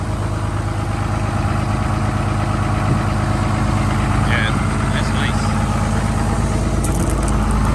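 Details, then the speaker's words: Diesel truck at high idle warming up on a 27°F morning: steady, even clatter at raised cold idle, smooth with no misses or knocks; running really nice, not smoky; healthy. "it's not smoky or anything"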